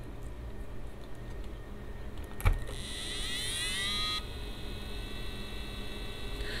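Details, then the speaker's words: EK AIO Elite 360 liquid cooler pump, mic near the pump, cold start: single sharp tick then a high whine rising briefly before dropping away; start-up noise that goes quiet once stable. "see for some reasons right the ek and the galahad will give you a thick titty tick and a winding noise when it starts up but once it's stable right it doesn't give you any noises"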